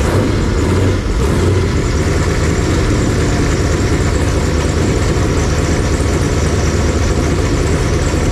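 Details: Fresh 496 big-block Chevy V8 on a run stand, break-in, warm near 170°F, 160° thermostat, oil pressure 55–70 psi, leaks and oil pan issue fixed: deep, even rumble with steady beat, no knocks or ticks. Normal warm idle.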